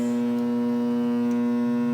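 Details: 1997 GE AJA12DFV4 air conditioner, plugged in with the dial and switches off: a loud, steady electrical buzz at one pitch continues until the circuit trips. Something inside stays powered while the unit is off.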